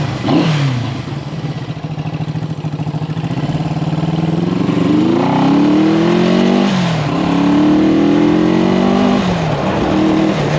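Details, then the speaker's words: 1974 Honda CB360 twin, neighborhood test ride after carb repair: pulls smoothly through the gears, revs climbing and dropping cleanly with no stumble or hesitation. Running healthy. "yeah no hesitation [Music] now look at that oh yeah be a nice little Ridder"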